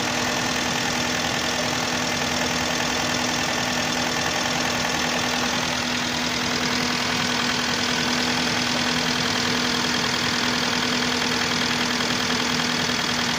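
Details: 2011 Hyundai Santa Fe 2.4 (4GKE) hot at idle: steady warm idle with a light regular tapping, about two or three knocks a second over the engine note. Engine knock when hot.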